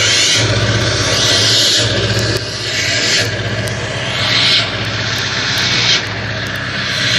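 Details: Cold Ford Powerstroke diesel running with a hissy puff like a sneeze about every second and a half; it keeps doing this for about two miles of driving even when warming up, cause unknown. Intermittent sneezing noise on cold start.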